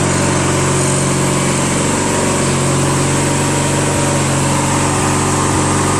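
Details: Craftsman LT1000 lawn tractor, 21HP opposed twin, first drive after engine rebuild, automatic transmission; steady even drone at constant speed, no misses, knocks or rattles, runs smoothly.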